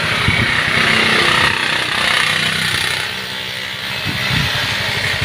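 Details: Yamaha Xeon GT 125 scooter engine rebuilt twice in a year with non-original parts: small single putters along evenly about four beats a second, no knocking or rattle; runs smooth.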